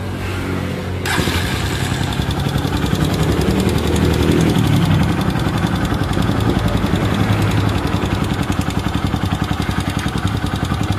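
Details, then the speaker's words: Honda TMX Supremo motorcycle, noisy despite tune-ups; others blamed the bottom end. It idles with fast, steady ticking over the thump, found to be a worn exhaust rocker arm. "so maingay Yung kanyang unit so kita niyo naman yung ating intro so sabi nung mga tumingin sa unit nung ating customer from ibaan Batangas pa to mga Bossing ay pambaba daw yung makina ni boss"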